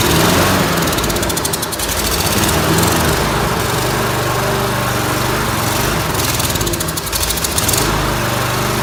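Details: Briggs & Stratton lawnmower engine: loud rough running that surges and dips every few seconds; it runs a little if the choke is held shut. Lean running from a fuel problem, a dirty carburetor.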